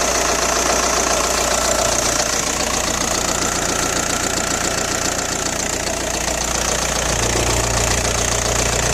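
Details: Audi A4 B6 1.9 TDI AWX diesel at idle, noisy since replacing injector O-rings and copper washers; cold-start smoke gone but power seems lost: sharp regular metallic rattle about two to three knocks per second. Cause unclear.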